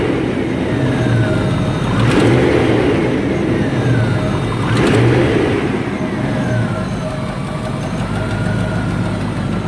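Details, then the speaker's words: 1994 Range Rover V8 holds a raised idle near 1600 rpm at startup, steady drone with slight surges; throttle cable suspected as cause of high idle, vacuum pipework being investigated. "I think the throttle cable was causing your high idle I think when you turn it on it goes up to 1600 rpm"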